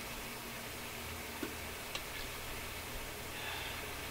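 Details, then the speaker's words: Nordmende console tube radio on Shortwave 1 at restricted power with no antenna: steady flat hiss with a few faint ticks and no station. Dead local oscillator suspected. "Sounds like no local oscillator to me."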